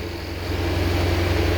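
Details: 2015 Jaguar F-Type supercharged engine, 72k miles, after hydrolock repair: smooth, steady idle settling after restart, even low drone with no misfire or stumble; engine runs clean, RPM allowed to drop before shutdown.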